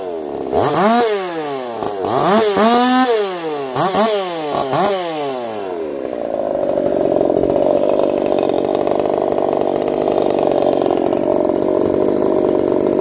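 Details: Echo CS-4910 chainsaw with experimental taper-top piston/crank swap, about 6 degrees timing advance, test cuts: crisp free revs then steady loaded drone through the cut, no popping or stumbling; runs a little warm, about 180 psi cold, 170 warm; normal running under load.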